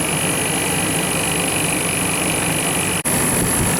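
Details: Condensing unit with a burnt contactor found, fan running, 65 degrees, drawing 14.5 amps versus 18 earlier: steady even hum and fan rush with no knocking, rattling or labouring; running normally.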